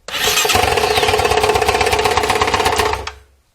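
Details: Honda CRF230 motorcycle, started after oiling the chain: loud, harsh metallic knock at about four per second over a rough idle for about three seconds, then shut off; owner unsure, possibly lack of oil.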